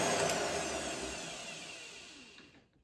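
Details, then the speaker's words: Treadmill motor fitted to a lathe/mill combo with relay-and-resistor electric brake: with the rotary switch set to off, motor whine falls slowly and fades over about two and a half seconds. Brake not engaging, caused by a switch wiring oversight. "we're back to not having the braking action and that is because I did not take into account that by putting this in the off"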